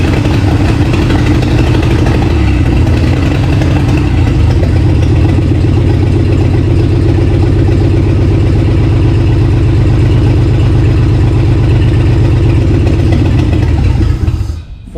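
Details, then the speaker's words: Free 1951 Plymouth, formerly locked-up engine, after replacing Champion plugs with Autolites: deep even rumble, steady firing, no misses or knocks until shut off, about 40 psi oil pressure; engine running healthy. "So, cool. That sounded... It's hard to tell how good it sounds because"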